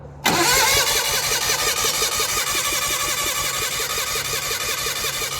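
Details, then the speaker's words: Gehl Hydracat skid steer with Onan engine: fast, even starter chugging about three pulses a second, never catching, gas coming out of the intake; cranks but won't start, owner suspects choke stuck shut. "spray it while it's turning over yeah it's got gas coming out of the intake yeah that pump might be too much for it"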